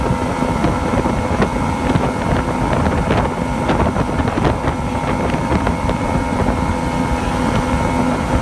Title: Misfire/surge on Yamaha 2 Stoke